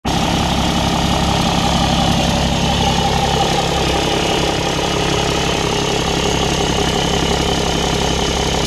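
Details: 2004 BMW E60 530d, M57TUD30 diesel, Euro 3 without DPF, 125,000 km, warm idle, no fault codes: irregular light chuff-tick in ones and twos at passenger-side exhaust manifold, only when warm; owner suspects cracked manifold or EGR valve.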